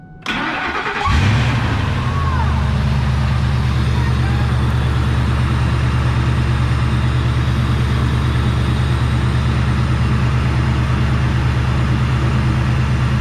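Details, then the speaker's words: Old Ford F150 plow truck: engine catches and settles into steady idle with faint intermittent metallic rattle, a loose heat shield whose location owner never identified. "that noise is a heat shield but i can never figure out which one it was it only happens every once in a while"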